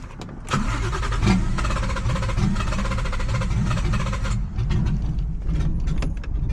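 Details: Nissan G35 with 1JZ swap on ECUMaster EMU Black, 900cc injectors, car long sitting; catches and runs unevenly with lumpy stumbling firing and low rumble; rough running, very old, bad-smelling fuel suspected.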